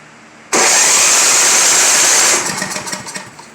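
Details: Simplicity 7524I snow blower with a Briggs & Stratton 7.5 hp engine on electric start and choke, which ran a week or two then quit: catches with a sharp, raspy roar, holds about two seconds, then sputters out; clogged carburetor jets.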